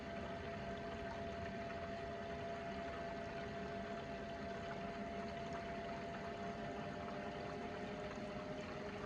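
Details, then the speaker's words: Fox-body Mustang running without a thermostat, electric water pump on a new controller, reportedly at partial speed. A steady, even whir with one fixed tone over rushing coolant, no rattle or surging: the pump runs normally. "thing we need to check is water pump okay with the new controller yep that's moving some water I hear it"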